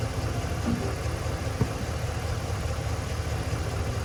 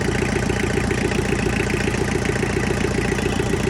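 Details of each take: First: Tractor diesel, pulled from a pasture as a non-runner with a dead battery, running rough and uneven at about two beats per second. Air is in the injector lines; loosening the injectors to bleed the air, then retightening them, smoothed the idle. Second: Tractor diesel, pulled from a pasture with dead battery, after bleeding air and tightening injectors, fuel filter still needing replacement: steady even clatter at idle with no misses or stumbles; engine idling smoothly.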